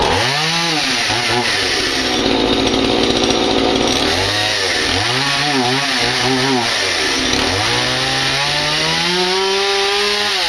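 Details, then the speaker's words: Stihl MS180 chainsaw after carb diaphragm rebuild and new spark plug, started cold on full choke: revs scream up and sag back unevenly, stumbling instead of picking up cleanly; hesitation on acceleration when cold. "that's it running it's um it's just quite cold then it won't pick it up very nicely"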